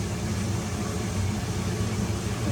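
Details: Biasi boiler after a failed-ignition repair with a new pressure switch, on a hot-water call: a soft, steady low roar that holds without popping, flutter or cutting out; the burner is lit and staying on normally.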